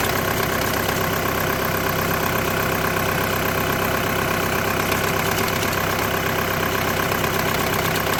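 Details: 2008–2014 VW with DSG gearbox at steady idle: a fine rattling buzz pulses about twice a second over the engine hum. The diagnosis is DSG clutch plate vibration, with the plate bearing also tagged.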